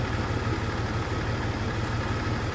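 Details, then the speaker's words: Jeep XJ at a low, uneven, lumpy idle with one cylinder dropping out. The new number one fuel injector failed after only 50 miles; a stethoscope found its tapping absent or faint, so it isn't firing. "okay so what i did was i used that stethoscope as you saw and i put it on this number one injector and i didn't hear any tapping or it was real faint the other one was very pronounced so this tells me this injector number one is not firing"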